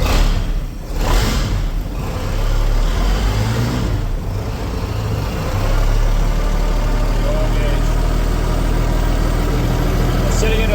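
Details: Marine flathead engine in a 1956 Century Resorter boat, first start after years sitting in a field, fed from a jerry can with cooling hooked up: steady even idle picking up revs smoothly, no knocks, misses or rattles; normal running.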